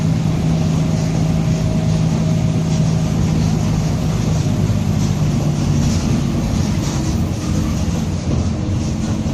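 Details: Mercedes-Benz OF-1722M city bus, Torino 2007 body, Grande Londrina 4178, cruising in service: steady low hum with a faint higher whine over the diesel drone, later fading; suspected rear differential gear growl, not confirmed.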